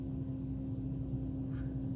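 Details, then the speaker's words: Turbo Buick Grand National after a gas tank swap back to a stock tank, engine off: smooth, even electric hum at one steady pitch as fuel pump one is triggered through the ECU to test it; healthy pump building fuel pressure. "o turn the first fuel pump on and you should hear it and see the fuel pressure change okay that's pump one"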